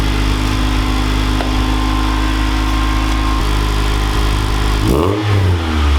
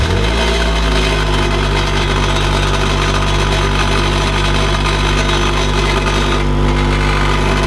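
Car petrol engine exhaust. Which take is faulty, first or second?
second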